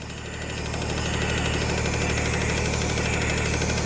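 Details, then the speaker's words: Tata Signa 3718 tipper diesel idling, right air gauge stuck near 6, left at zero: loud steady hiss as the leaking unloader valve dumps compressor air meant for the tank; fix is to open and rebuild the valve. "इस तरह की आवाज़ ए रही है मतलब चिकनी कम भी कर रही है और लिखित भी है बहुत ज्यादा मात्रा में जिससे इसका जो हवा है टैंक में जा रहा है और बाहर अनलोड ज्यादा हो रहा है"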